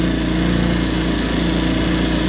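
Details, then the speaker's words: Trailmaster 50cc scooter with a GY6 engine, idling with the headlight unplugged (its low beam was shorted internally) and charging normally at about 12.3–12.9 V: smooth, even buzzing beat as the electric choke seats and raises the idle. Normal idle. "So we're charging at idle like we should be. That's the electric choke kind of getting seated there, making the idle go up."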